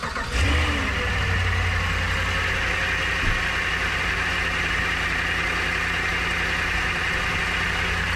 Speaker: sounds like a dry pulley kind of accept that bearings were going in mine making that squeaky noise that just sounds like a dry boy